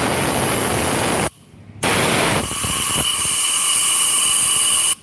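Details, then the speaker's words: Yamaha Mio J scooter head under air-pressure valve leak test: intake valve sealed with no leak, steady airy hiss at the exhaust port cutting out briefly, a very small exhaust valve leak judged not enough to cause hard starting. "sangat kecil dan kebocoran di klep X segitu nggak bikin motor susah hidup tapi kalau di klep-in bocor segitu akan bikin motor susah hidup"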